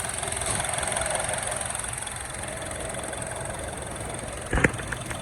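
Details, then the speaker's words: 2011 Honda CR-V 2.4 after alternator replacement, with the drive belt checked in place and voltage good: smooth steady idle hum with no knock or whine, one brief click near the end. Normal idle; problem believed fixed. "Start. Make sure everything is in place. Alright, so double check. It sounds good."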